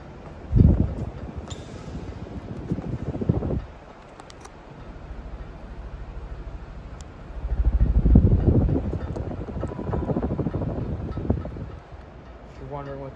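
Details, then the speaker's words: Restored Casablanca Victorian ceiling fan on high: low whooshing drone with uneven light taps as the light-kit fob knocks against the center shade; light fob knocking against glass shade. "what that noise is, it's the fob from the light banging against the center shade."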